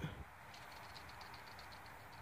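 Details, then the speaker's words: Dodge with 5.9 Cummins at diesel idle: quick high chirps about five a second from a worn belt tensioner pulley, later replaced. "it's already making having problems the belt tensioner pulley went up oh if you can hear that but"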